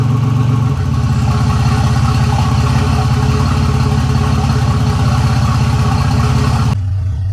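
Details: 1985 Nissan 300ZX Turbo (Z31), formerly misfiring and cutting out under boost, after new plugs and wires and a torn charge-pipe boost-leak hose replaced, on a drive: loud, deep exhaust drone pulling steadily under load with no misfire, building boost cleanly.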